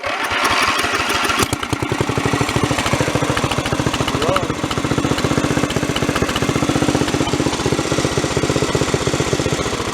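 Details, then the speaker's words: Mid-1980s Snapper rear-engine rider, 11 hp Briggs & Stratton industrial L-head revived after sitting four years, hot restart on booster cables: it cranks briefly, catches and settles into a quick, steady single-cylinder thump that keeps running. "i decided let's try another uh let's do a hot restart on this thing and see if it'll actually start up and run"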